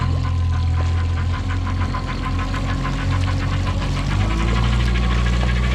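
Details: 2020 Mercury Marine 50 hp 4-stroke EFI outboard, about 65 hours, makes a light, regular knock about two to three times a second when in gear; cause unknown.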